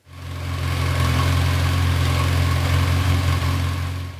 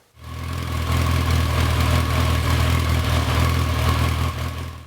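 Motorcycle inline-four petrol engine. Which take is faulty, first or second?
second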